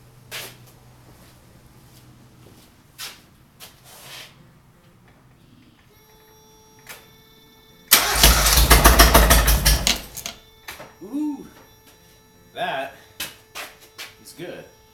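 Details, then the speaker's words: Rebuilt Ford Festiva B3 engine swapped into a Mazda Miata, first start, catalytic converter disconnected, only two cylinders connected to check the firing order: loud, rough, uneven exhaust pulses for about two seconds before stumbling and dying. "the first thing I'm going to do is start it on two cylinders just to verify that I got the firing order right and then shut it down and if it works I'll plug in the other two"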